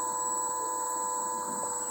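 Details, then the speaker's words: Electric bicycle hub motor on throttle after replacing the controller and LCD as a set: quiet, steady high-pitched whine with no grinding or clicking, spinning smoothly; working normally again after the repair. "Coba kita gas. Nah, itu kedengaran suara dinamonya nyala. Coba perhatikan tuh."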